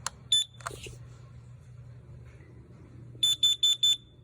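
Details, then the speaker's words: CanCOB alarm version with ppm screen (peak reading 12 ppm) on test button: a couple of early chirps then four sharp beeps about a quarter second apart, higher pitch than the LP2; normal test tone. "That sounds different than this one. It sounds a little higher. The pitch is a little higher."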